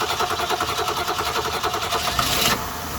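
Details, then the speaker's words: 1966 Ford Mustang 200 straight-six with repaired Holley one-barrel carb: cranks with fast uneven pulses, catches and runs unsteadily at high rattling pitch, choke stuck open; needle and seat still faulty, needing replacement. "There we go, the choke is stuck open. So, there you have it. It's running again."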